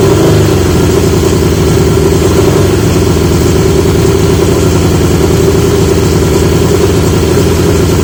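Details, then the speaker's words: 1980 Yamaha XJ650 after fitting new (old) exhaust pipes; even, smooth exhaust burble holding steady with no misses or rattles; much better, healthy running. "that doesn't sound like it's he's a should be living on a Speedway now that is so much better"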